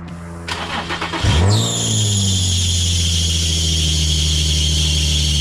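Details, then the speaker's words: Nissan 350Z at startup: starter cranks, engine catches, then a loud high shriek holds steady over the idle; worn serpentine belts slipping, needing replacement. "the only thing that she needs is some belts when you start her up she sounds like an over dramatic porn star there's just all sorts of screaming squealing all sorts of I'll show you in a second"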